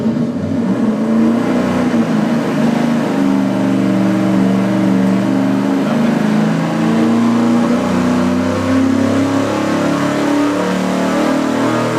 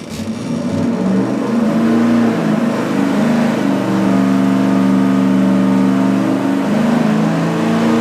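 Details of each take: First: Engine dyno full-throttle pull on the remanufactured Edelbrock 750 CFM four-barrel carburetor. The air door may not have been opening all the way, possibly giving a wavering, wobbling drone instead of a clean climb. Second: Engine dyno full-throttle pull, warmed up, on the budget 750 CFM four-barrel Street Demon carburetor after a thinner metering rod to lean it out. A strong, even roar with no misses, pops or rattles, and no carb standoff seen. Made about 480 lb-ft.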